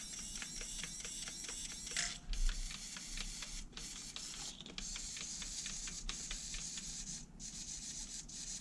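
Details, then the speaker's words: HPI Savage 3.5 nitro RC truck (.21 build), steering servo sweeping back and forth: quick, crisp, even whirring bursts without twitching, stutter or buzzing, just gear noise; servo working properly. "you squeeze them slow guys as long as they're not twitching just isn't twitching that's the gearing you're hear"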